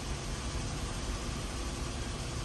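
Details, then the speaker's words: Nissan Almera idling after a failed cylinder 2 ignition coil was found and codes cleared: steady, even low rumble with no misfire, no shaking, no warning lights. "ไฟเครื่องยนต์ไม่โชว์ไฟออโต้ไม่กระพริบรอบเครื่องไม่ตกไม่สั่นนะครับ"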